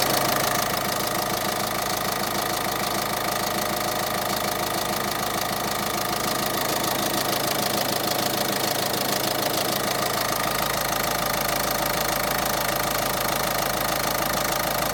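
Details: 2013 Peugeot 308 eHDI diesel, 112,000 km, at idle: a steady knock about three per second; owner suspects tired engine mounts, as the torque rod jerks on engine braking and downshifts. Source unconfirmed.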